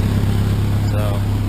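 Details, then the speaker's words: Cheap Ford Ranger four-cylinder at idle, exhaust leaking everywhere: deep, loud diesel-like chugging rumble; old exhaust to be replaced. "oh yeah this puppy is loud sounds like a diesel truck thinking over there it's looking over there it's leaking everywhere"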